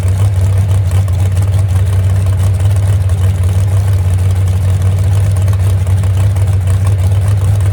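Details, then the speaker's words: Hot rod "Moonshiner" idling after a full overhaul following a crash and months without running, once two crossed plug wires were fixed: deep, steady rumble with an even beat, no stumble or miss; normal idle. Temperature gauge not working, radiator may be leaking. "Yep. Well, girl, still sounds good, don't it? That's all it needed right there."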